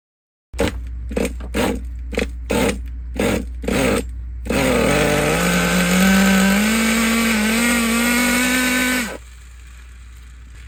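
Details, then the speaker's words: Restored Traxxas T-Maxx Classic nitro 2.5 RC truck, pull start: several short start bursts, then a screaming high rev that climbs unsteadily and won't settle; owner suspects a huge air leak, and no throttle return spring is fitted. "Dude, it sounds like it has a huge air leak on it."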